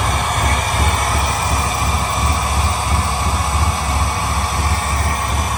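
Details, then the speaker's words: LS3-swapped 1972 Chevrolet Impala convertible, after fixing the injector 1, 4 and 8 connectors and clearing the misfire codes: a deep, even V8 rumble with no stumbles, a normal sound test on all cylinders. "he's recording and we're gonna get a true sound check a a true sound test for what this engine's supposed to sound like"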